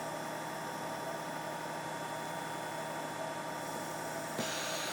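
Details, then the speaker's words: Wurlitzer-type lock and cancel valve with its inline bleed replaced by plain tubing, pump at about 12 inches of vacuum: steady airy hiss over faint pump hum; too much vacuum in the line, valve malfunctioning. "you see now it doesn't work you can hear I don't know if you can hear that hissing now"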